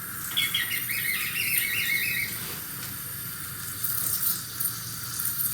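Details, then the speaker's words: Fluidmaster Universal 400A toilet fill valve after cleaning and reassembly, water turned on: hissing rush with sputtering, gurgling bursts as water sprays and bubbles out; not fixed. "it's water spraying out water's coming on large going to start shooting out here right now so it's not fixed"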